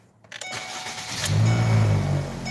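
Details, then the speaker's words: Car idling after start. A low steady buzz passes through from a bad engine or transmission mount. Worse in certain gears and under throttle, easing in reverse, with metal-to-metal contact. "now again I'm gonna go ahead and I'm gonna start the car up and we'll let you hear what you're when you've got a bad engine or transmission mount"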